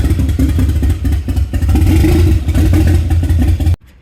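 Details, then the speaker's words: Nissan 300ZX, non-turbo converted to twin turbo and manual, first start after fixing a no-spark fault by cleaning terminals, no exhaust fitted: deep, even engine note with a steady pulse and no ticking or knocking; healthy running. "well there's no ticking or anything like that like yeah she found sounds freaking pretty good real good real good yeah sounds healthy sounds healthy that's how they all sound without an exhaust"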